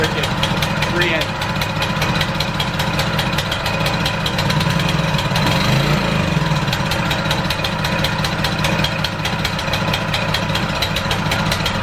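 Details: ETQ Power high-pressure fire pump small single-cylinder engine after cleaning and new fuel runs steadily with an even, rapid firing beat and no misses or stumbles; starts first pull, carburetor barely dirty; normal running.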